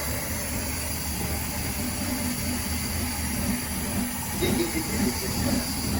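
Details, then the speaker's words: Chrysler VG Valiant Hardtop fired up after long storage on 10-year-old fuel poured into the carburettor; steady low rumble with an even, slightly lumpy beat, no knocks or misses, runs surprisingly well. "man not even surprised i'm not even surprised that it runs that good"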